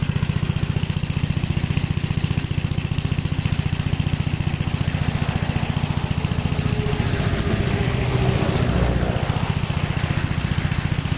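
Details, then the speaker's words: 1957 Gravely L tractor single-cylinder engine after fuel filter replacement, carburetor left slightly rich with the idle jet screw one turn out from bottomed: steady, even low thumping at about 220 beats a minute, no misses or surging. Clean idle. "So I just leaned it out a little bit. It's like a tat on the rich side, but I like it that way."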